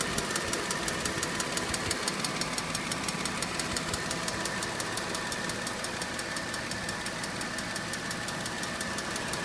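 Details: 2006 Mercedes C230 idling: a steady, quick light ticking at about three ticks a second; it does not get louder when accelerating, with no check engine light or misfire; the cause is unknown.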